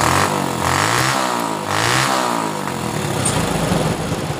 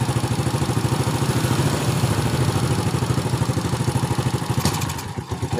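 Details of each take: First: Honda Supra Fit motorcycle after repair of dying on throttle (fuel and spark plug refitted); small single revs up and drops back smoothly several times with no stumbling or cutting out; now takes throttle cleanly. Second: Honda Supra Fit motorcycle: steady putt-putt idle around three beats a second sags and almost dies when throttle opens, then recovers; idles but stalls on throttle, before the spark plug was fitted.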